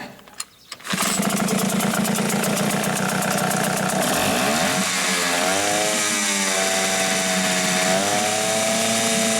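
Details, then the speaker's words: Hangkai 6.0 outboard after crankshaft assembly, bearings, con rod and piston pin bearing replaced for noise under the flywheel, run on mechanic's own spark plug to protect the coil: starts first pull, steady even buzz rising smoothly with throttle, no knock; ran about an hour fine. "ah Так ну что ж всё мотор завелся поработал примерно часик Всё нормально Всё чётко"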